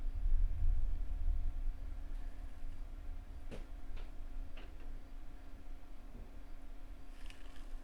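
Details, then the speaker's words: 720Kb diskette formatting under Windows XP (disk gave earlier read errors) stuck verifying; irregular sharp clicks as head seeks back and forth over a quiet hum. Floppy drive repeated seeking. "okay still the verifying the 720k i don't yeah it's going to give us the same error"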